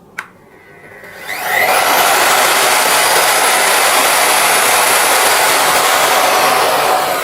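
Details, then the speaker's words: Motor started with a soft-start module on a 450-watt supply. It winds up gently over about half a second to a steady, even high whir with no jolt. Initial draw is only about 1.7 A (about 300 W), a clean soft start. "Sekarang kita coba setelah menggunakan soft start. Bunyinya langsung lembut. Bunyinya halus ya guys Halus. ya."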